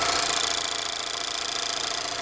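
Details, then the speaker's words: Cold start idle of a 2019 Mazda 3 2.5L Skyactiv-G inline-4 with 6-speed automatic: quick, steady clicking of the direct injection pump over a smooth engine, normal but annoying. "Really hear that clicking sound going back and forth, which can get pretty annoying."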